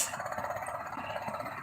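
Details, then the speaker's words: 2010 Toyota Corolla with no AC, engine idling after bypassing a clip: AC compressor engages and cools but runs noisily with a fast, even rattling hum. "now you hear the compressor going it's a noisy compressor"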